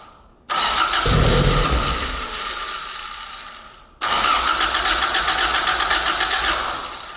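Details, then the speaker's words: AE86 Corolla 4A-GE with cams, dual Weber 48DCO carbs and new ignition box, first startup on starting fluid: engine catches twice, each time running a few seconds with quick even firing before dying; ignition box working; normal brief run. "ignition box is working all right that is sick all right I'm pumped"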